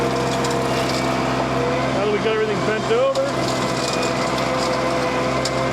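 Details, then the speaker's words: Mini skid steer with brush hog mower attachment, tilted back about 30° and lowered onto a stump: steady engine drone sags in pitch for a moment, bogging under cutting load, then recovers. "Tilt it down back. You can hear it bogging a little bit."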